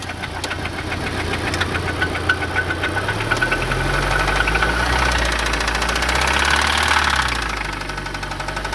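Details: Audi B7 A4 engine with a steady, fairly regular knock about three to four per second over the idle from start-up; timing chain/tensioner verified not the cause, source undetermined.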